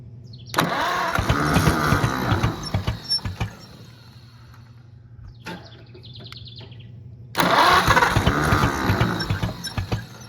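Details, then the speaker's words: Oliver 70 tractor, long dead, rebuilt starter, leaking gaskets: catches in short uneven bursts, chugging and dying between tries; seems to fire on only a couple of cylinders, cause unconfirmed. "we only hitting on a couple cylinders or what well good news the motor doesn't sound bad when it does run"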